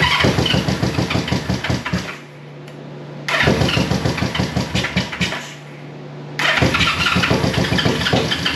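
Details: 1973 Honda CB350G twin, cold first start after fitting Mikuni VM28 carbs, auxiliary fuel tank: quick bursts of starter cranking with sharp pops on both cylinders as fuel arrives; close to catching.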